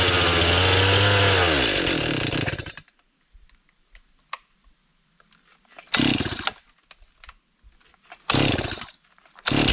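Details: Stihl MS 261 C chainsaw bogging down and stalling even at idle: revs high, pitch sags and it dies; short throttle bursts fade quickly. Owner suspects the tank vent; cleaning it did not last.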